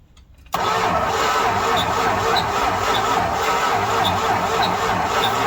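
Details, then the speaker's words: 1968 Dodge Charger stored 40 years in and outside a barn, first start after fluid fed into intake: engine catches at once and settles into steady, slightly ragged run with a little backfire, burning off fluid and blowing out dirt; first start after long storage. "kids a little bit of a backfire yeah yeah you're good oh there's a little bit of fluid he's just burning off out there that's all"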